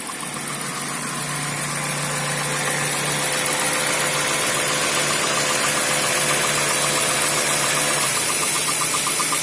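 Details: Toyota 4A-GE 16v black/red top petrol engine, warm, with a light steady tick about three per second. The ticking appears when hot or after driving at medium or high speed, with jerking and sometimes no revs past 3000–4000 rpm.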